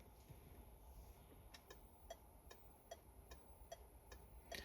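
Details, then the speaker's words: PSA-group car, right indicator activated via Launch Creader Elite V3 PC diagnostic actuator test: crisp, even relay clicks in a steady on-off rhythm in a quiet room, graph showing active/inactive; flasher cycling normally. "Alors, là vous voyez je suis sur la commande d'indicateur droit et donc c'est-à-dire le clignotant droit, si j'appuie ici"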